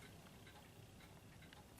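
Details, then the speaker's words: Junghans clock, knocked over, glass broken and door gone, yet still running: faint, steady ticking under quiet room hiss; evenly running and healthy. "Despite being knocked over, it's still running, even with the broken glass or no door."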